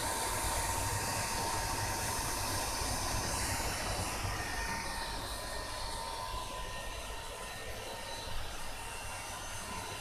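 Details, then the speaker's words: Honda All New CB150R with thermo sensor unplugged and ignition on, forcing the fan (normally on at 90–100 °C): steady even whirr with a faint constant tone and no rattle or scraping; radiator fan running normally. "kita lihat nah kita dengarkan mesinnya itu atau Sori kipasnya itu"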